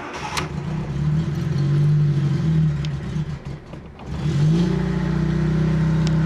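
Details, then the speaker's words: Cold start of a Fiat Panda 4x4 Sisley in cold weather, choke fully out after three accelerator pumps; the engine catches, revs unevenly and nearly stalls, needing throttle feathering because the fuel pump doesn't hold fuel up front and fuel drains back. "there's a case of Feathering it on the on the throttle initially because uh my fuel pump doesn't hold the fuel in the front so it has to drag it from the back again all all the time"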